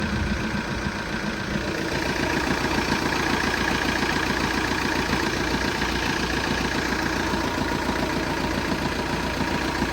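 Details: Engine at a steady idle with a fairly even knock, about three to four per second, over the engine note; cause not determined.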